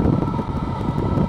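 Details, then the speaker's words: Chinese diesel heater in portable aluminum box, at full operating temperature within three minutes: even, steady air rush with faint constant hum, no rubbing or rattle; blower normal at full output. "so within three minutes it's up to full operating temperature and it's blowing like"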